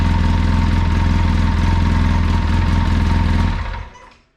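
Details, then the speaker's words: 2014 Polaris RZR 800S idling after a rebuild for bad rod knock; steady, even idle with a smooth low pulse and no knock, exhaust not loud, then clean shutdown: engine healthy. "sounds good. Yeah. Sounds really good. No more knockage."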